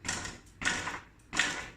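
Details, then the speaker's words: Hyper E-Ride electric hybrid bike from Walmart, front jolted to simulate potholes; V-brakes already ruled out: three sharp clattering bursts about 0.7 s apart; owner believes something loose under front cover rattles, unconfirmed. "I was having a noise in the front. I was thinking it could probably be the V-brakes, so I took them apart, but the noise was still there."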